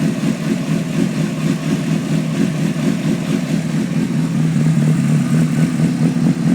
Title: Rough Idle and electrical issues 03 cbr 600 rr